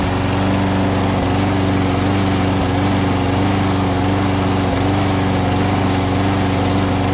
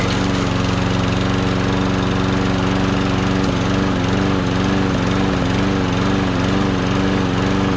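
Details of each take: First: Lawn-Boy push mower engine fitted to a Murray deck: steady buzzing with brief dips every second or two, a slight hesitation suggesting uneven fuelling; the carburetor bowl is to be checked. Cause suspected, not confirmed. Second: Push mower engine: small single-cylinder running at steady speed with even buzzing note and slight surge; runs fine, may need a quick carburetor clean.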